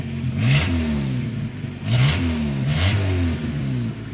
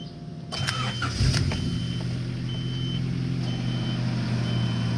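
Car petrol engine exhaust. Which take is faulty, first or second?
first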